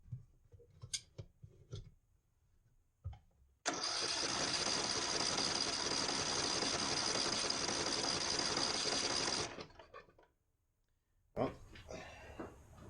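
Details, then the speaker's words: Neglected Ariens 42" riding mower, 17.5 hp Briggs & Stratton, Nikki carburetor, with fresh fuel, new fuel filter and good fuel flow: it runs about six seconds with ragged, uneven chatter, then dies. "Only seems to run smoothly at certain throttle positions. I'm not quite sure what's up with it."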